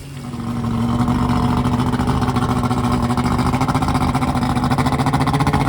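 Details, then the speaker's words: Carbureted outboard newly installed on a boat in place of a fuel-injected engine, test-run on a hose to check for overheating: comes up to steady idle with even low burble and pulsing exhaust, smooth and regular; runs normally. "I'm gonna test it it's starting to make sure you don't overheat have it running for a few minutes"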